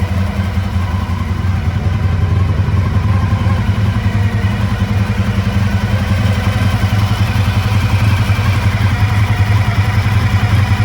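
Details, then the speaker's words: 1985 Honda VF1000R, first run in three or four years after sitting, warming at idle: uneven, lumpy loping idle with stumbles; rear right cylinder dead, owner suspects clogged pilot jets. "yeah so we can see uh the rare right cylinder uh is definitely not uh is definitely not running at idle"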